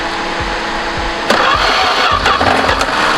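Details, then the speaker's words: 1973 Duster slant six, unrun 21 years, after new distributor cap and rotor, reseating a loose plug wire and finding vacuum leaks: slow uneven cranking briefly catching with rough rising burst then faltering; nearly starts, won't run. "oh it almost started"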